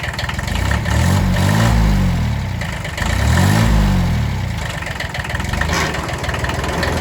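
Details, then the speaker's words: Kubota B6100 diesel tractor at idle, in gear with clutch fully pressed: slow swelling drone every two seconds that disappears in neutral or with the clutch released; a worn clutch pilot bushing. "Okay, you guys hear that? Take it out of gear, it goes away. And the clutch is fully in and it's rolling. That's another symptom."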